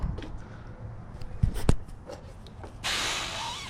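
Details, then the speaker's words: 2002 Toyota Corolla 1.8L with P0171 lean code, smoke test: steady airy hiss near the end, pressure and smoke escaping at the PCV system; valve cover long leaking, but the vacuum side is sealed. "oh you hear that pressure also right here pressure is pcv and smoke i like it pcv system sealed valve cover's been leaking a long time but it's a ceiling vacuum that's all i care about for this problem"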